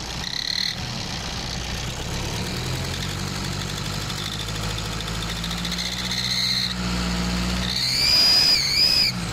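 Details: Nissan Patrol ZD30 diesel accelerating, parked or under load: high shrill squeal wavering and climbing with revs over a low engine drone, traced to a leaking exhaust manifold.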